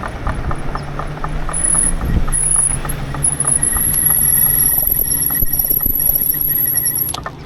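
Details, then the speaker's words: E-bike rear hub motor while riding. A steady motor whine with fine regular ticking over road hum is a hub motor grinding noise; rider fears it may fail and is awaiting manufacturer help. "Yeah, it's getting kind of grindy sounding. I should technically go slow just in case it decides to give out on me."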